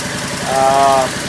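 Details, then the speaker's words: Craftsman lawn tractor single-cylinder, first start in over a year, using choke and a battery charger on jump start: a quick, regular putter at a steady idle without misfires, a normal idle. "Running There it is. Idling pretty good."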